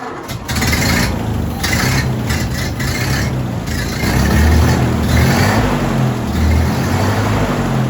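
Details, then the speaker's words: 1930s Ford Model A-era four-cylinder truck that had not run in over 70 years, started on a jump box after a replacement condenser: slow, uneven cranking catches and it settles into a low, lumpy but steady run. "it sounds pretty good who knows when the last time this thing ran"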